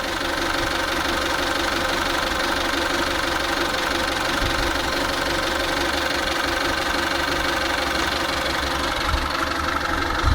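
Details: 2000 Kia Pride (Swedish market), engine fully hot with the fan cycling, after a timing check: steady idle with light even ticking and slight speed wander, no misses; it idles fine, though the owner hears a possible vacuum-line noise.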